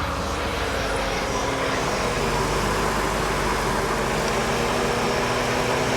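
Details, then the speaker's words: 1999 Ford Taurus SHO V8 idling after restart with a very dead battery (battery light flickered): steady even idle under constant cooling fan rush, no knocks or misses; running normally. "Probably because the battery's so dead. See, we've got the cooling fan running."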